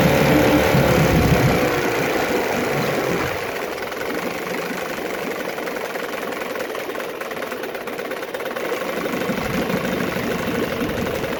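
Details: 9.9 HP Johnson outboard being revisited after an earlier failure, refitted with a new water pump and carb kit, in a test tank. A low, slow, even putter that settles and holds at about 800 rpm, a bit under the 900–1,000 rpm owner expects. Normal idle.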